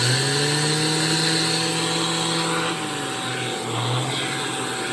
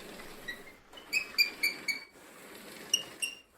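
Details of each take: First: Shark AZ3002 (Stratos) cordless vacuum after a year of use, handheld power attachment running: strong steady whine rising and falling like a turbo spooling over whooshing airflow; normal motor sound. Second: Shark AZ3002 vacuum after 9 months of use: quiet, scattered high-pitched chirps and squeaks in short bursts as it rolls; the wheels squeak, cause unknown, with no effect on performance.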